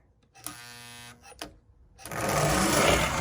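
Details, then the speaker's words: Lionel locomotive after cleaning, oiling and pickups fitted: short buzzing hums that stop and restart before the motor runs; the E-unit reversing unit is hanging up because a pin on the drum end broke off, fixed with a new drum. "Got the pickups on, but we got E-unit problems now. More thing, always something. Sounds like it's hanging up is what it sounds like."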